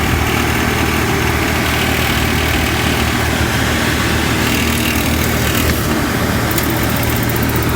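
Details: RV furnace after loose rattling parts were tightened and zip-tied and reset: steady even airflow rush with low constant hum, no rattle or knock; blower healthy.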